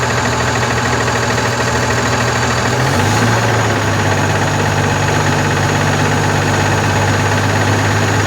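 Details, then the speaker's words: Constellation 19320 truck diesel after engine rebuild: steady idle with faint irregular knock about three a second on top; air compressor knocking, gauge showing no pressure, suspected blocked air pipe. "Solta aí ó você viu que o seu compressor quebrou"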